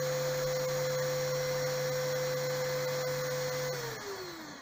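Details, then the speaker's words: Small pump motor on a digital RO panel, with raw water pump current protection set to 1 A: motor hums at an even pitch for nearly four seconds, then cuts out and winds down as the overcurrent protection trips; setting needs raising. "अब देखिए 1 ampere डालने के बाद भी ये बंद हो गया, मतलब कि जो सिस्टम जो मोटर टाइप में मैंने इसके साथ ये लगाया है वो 1 एम्पियर का भी लोड नहीं ले रहा है, यानी हम इसके लोड को और थोड़ा बढ़ाना पड़ेगा।"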